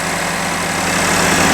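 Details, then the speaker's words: 2012 Buick Verano with intermittent stalling and no-crank, running with the ABS module bypassed on the CAN bus for 10 minutes: short, steady idle with constant even hum, no cutting out or stumble; normal idle where it previously stalled. "so it's been running for 10 minutes and it hasn't skipped the beat whereas before it was cutting out stalling and it was just sitting there idling"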